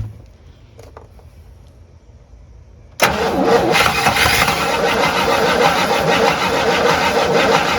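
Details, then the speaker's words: Abandoned 1958 Super, first start attempt on a mystery engine with fuel poured into the line and bowl: after silence the starter cranks steadily, about three turns a second, with no firing; no fuel, and the fuel pump is judged dead. "ah no fuel [Music] all right i need a fuel pump game over"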